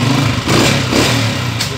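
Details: Honda CG 125 single-cylinder motorcycle after repair for missing and backfire: revs up and settles with even, clean beat, no pops or bangs on throttle; misfire largely gone, running healthy.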